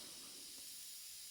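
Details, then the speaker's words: Home central-heating radiator, warm at the bottom and cold at the top, on a combi-boiler system: steady soft hiss from the bleed valve opened anti-clockwise as trapped air vents until water appears. "anti-clockwise, and you'll hear the air come out. Can you hear the air coming out? That's all the air coming out. And just keep that going until water comes out."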